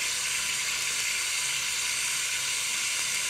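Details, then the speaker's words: Mitsubishi Lancer with loss of power, fuel pump powered directly on the bench in water: steady sharp hiss with no rhythm or engine beneath it as fuel sprays from the leaking pump body, causing lost fuel pressure. "as soon as i put power not i can hear the fuel running hopefully you guys can pick that up too and i can see something is leaking there"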